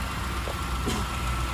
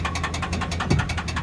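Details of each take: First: Convertible V8 5.7 with 145,000 miles, idling: low, even rumble with a steady beat and no knocking or stumble; normal idle. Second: Petrol car just collected from Copart USA, idling with a fast, even metallic engine knock of about ten or eleven raps a second.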